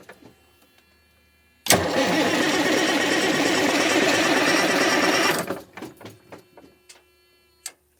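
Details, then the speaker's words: Freightliner truck, about 2000 model, sitting 6 years: starter churns about 3.5 turns per second for some four seconds then stops, engine never catches; suspected the computer isn't letting the injector pump turn on to deliver fuel. "I believe it's just something about not letting that uh injector pump turn on to let the fuel"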